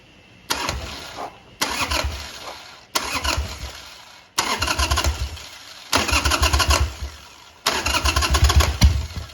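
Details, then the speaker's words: Harley Sportster 883 after jetting the carburetor on the bike, vacuum petcock on, no choke: six short starter cranking bursts, engine turning over without firing, bumped to draw fuel in; starter works normally. "No choke, just gonna bump the starter and see if it'll suck a little fuel in there."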